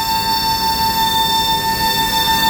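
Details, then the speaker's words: Aircraft hydraulic check after leak concern, flaps retracted, reservoir full, no leaks; hydraulic pump (of C1 and C2) running with a steady high-pitched even whine, no surging or grinding: normal hydraulic pump operation. "And you can hear the hydraulics pump. Now the hydraulics pumps, there's two. You have C1 and you have C2."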